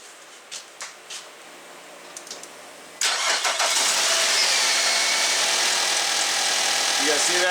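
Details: 2006 Nissan Altima started after replacing the alternator, to check it charges: a few quiet clicks, then the engine catches at three seconds and settles into a steady, even idle; normal start and idle.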